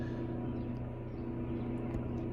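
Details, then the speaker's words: Onboard generator of a 2020 Thor Freedom Elite RV, already warm so it started fast: steady low hum at constant speed, no misses, knocks or hunting; normal running during warm-up. "It's already warm, so it did start pretty fast. Sometimes they take 10 or 15 seconds to start up."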